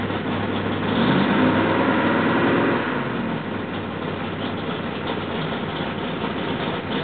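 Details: Rebuilt L88 427 Chevy big-block, hydraulic roller cam, 9.6:1 aluminum heads for 91-octane pump gas, timing set at 36°: brief rev, then deep lumpy idle firing evenly with no knocks or ticks; sounds like an original L88, healthy.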